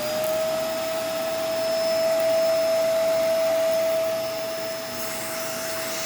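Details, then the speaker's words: Dirty donated vacuum with split part running: steady tight high motor whine that sounds strained on suction, owner suspects a clog; brush roll does spin, so no new power head needed. "But, yeah, sounds a little strained on suction, probably a clog. Brush roll does spin, though, thankfully, so it doesn't need a new power head."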